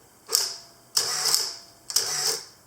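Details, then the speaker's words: Olympus OM10 FC film camera with power winder in sequence mode (2.5 frames/s), in dim light with slow ISO: three crisp whirring wind cycles, each about half a second, slow but evenly spaced, so the winder cycles normally. "now if we put this power winder in sequence mode then we can do two and a half frames a second"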